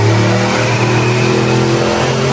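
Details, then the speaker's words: Turbocharged Mustang with stock 93–95-style bottom end and Explorer GT40P heads on a dyno pull: strained, flat, uneven roar losing power, 500 torque but only ~383 wheel hp, AFR about 11.9; owner suspects spark blowout or fuel. "Peak power wasn't even coming in right our torque was 500 and it made like 383 to the wheels like come on"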